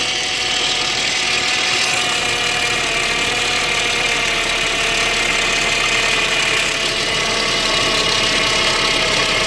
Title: 2005 Saab 9-5 ARC, Rough idle, missing/modified parts